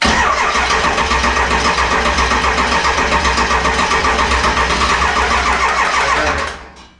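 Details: 7.3 Powerstroke diesel swapped into a 1951 Ford shoebox with standalone wiring; emergency fuel shutoff had been tripped, now reset. Starter churns at an even beat of almost four per second, never catches, then winds down; cranks without firing.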